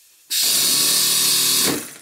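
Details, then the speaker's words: Stuart Double 10V model steam engine after modifying both slide valves to identical size: fast even steam rush with no lopsided beat, both cylinders giving about equal power; balanced normal running. "now that the slide valves in each of the valve chests are identical in size the power output from both of the cylinders is about the same"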